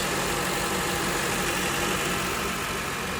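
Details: 2008 Honda CR-V at idle after replacing the alternator, belt and PCV valve; steady, even idle with a smooth fast pulse and no squeal, chirp or knock, no battery light so it is charging; normal idle.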